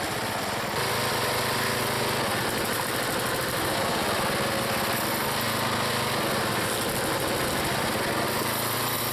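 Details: Small single-cylinder petrol log splitter engine on a cold day, Seafoam added, splitting wood: even, steady buzz with no misses or knocks. The owner once suspected an engine problem, but it runs smoothly.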